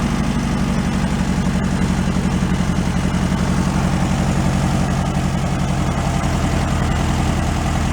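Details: 1968 VW Beetle air-cooled engine, sat 5 years and still on old fuel awaiting change, at warm idle: steady, even chug firing regularly with no misses or rattles; a healthy, settled idle.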